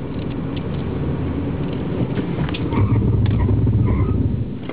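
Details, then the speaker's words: 2005 Honda Accord EX-L, 15,700 miles, hard ABS stop on a very wet road: low, rapid buzzing chatter rises briefly over the road rumble. ABS pump cycling normally, with less pedal pulse than a Milan. "so the pedal doesn't pulse as much as in the Milan you can you can hear the mortar but it's quieter in the Milan"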